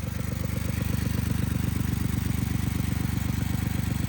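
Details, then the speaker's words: 1999 Lexus ES300 idling with check engine light: steady stumbling pulse about four times a second with puffing exhaust, misfire hoped to be from cheap plugs and coils; rear exhaust manifold gasket also gone. "Okay, so what's going on here is that it has a misfire due to cheap plugs and coils, hopefully."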